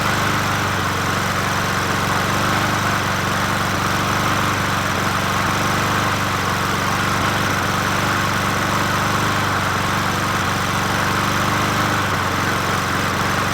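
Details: Old free Murray 20" push mower #20201D, missing gas tank, carburetor just coaxed into running, no air filter fitted; single-cylinder holds a steady busy run with no clear misses, though still rough — rough running.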